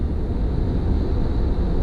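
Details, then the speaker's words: Tesla in the cabin at 78 mph on the highway, checking for a squeak that came back earlier from the front driver's side tire area: steady low tire rumble with no squeak or chirp on top; normal, quiet cabin. "I'm going 78. I'm going 78 miles an hour, no noise."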